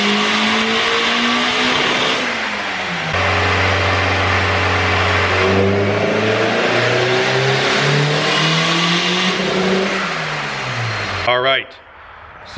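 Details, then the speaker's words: eBay-turbo Honda B18C GSR under load: engine pulls but note wavers and chops as revs climb, a stuttering misfire; fuel and ignition timing changes didn't cure it, owner suspects VTEC or oil pressure issue. "I think we have a VTEC issue, oil pressure, something like that, because it's just stuttering really bad. I don't know if you guys can hear it in the video, but it just stutters like crazy."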